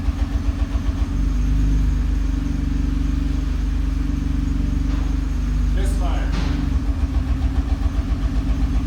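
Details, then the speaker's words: Nissan R35 GT-R idling: deep thrum with uneven thumps about four a second, an engine misfire popping through the prop shaft, often mistaken for bell housing rattle; cause could be an injector, spark plug or burnt valve. "ke a noise that's more of like a popping, a rattle and pop noise is an engine misfire."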